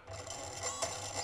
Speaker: okay okay so this definitely is not working like i expected that something is going wrong and definitely both of the esc's are not able to come up a single solution of how to drive the motors